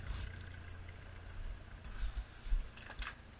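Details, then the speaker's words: 1971 Ford F100/F250 truck with an inline-six, started from cold: a soft, steady low rumble at idle with an even pulse through the exhaust. Normal, healthy idle. "you get here it's just got that kind of nice little like that nice little Rumble to it"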